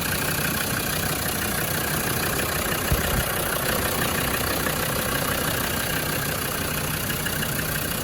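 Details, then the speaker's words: Land Rover Defender 110 TD5 double cab diesel, engine running: steady, even idle with constant low rumble, no misfiring, hesitancy or overheating; clutch pilot bush quiet when cold, possibly a recent new clutch; healthy engine. "okay a quick video of this 110 td5 double cab engine running"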